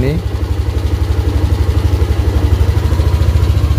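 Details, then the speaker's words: Yamaha Aerox with MIL lamp on steadily: after starting, low uneven hunting idle pulsing about two beats a second, seems fine when throttle opened; temperature sensor near radiator with broken wire misreading engine temperature, causing unstable idle. "Kita starter. Seperti itu, dia berbet. Tapi kalau diputar gasnya, seakan-akan dia aman."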